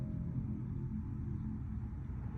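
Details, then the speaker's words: Campervan gas heater/boiler burner: pilot flame held to warm thermocouple, then main flame kicks in left of pilot; soft steady low roar, no popping or sputtering; normal burner operation. "so you can see there now the actual main flame has kicked in as well to the left of the pilot"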